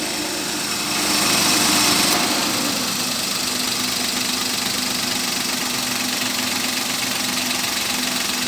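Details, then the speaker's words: 2016 Suzuki Alto 800, five years old, stock exhaust, warmed about 11 minutes: steady even idle with light regular tick and brief louder swell; aircon is the noisy part, engine quiet; normal idle. "Pero pag nag-off yung aircon, ayan, tahimik na. Guys, wala na po tayong bomba-bomba rito sa makina kasi wala naman tayong siyang maingay ito eh."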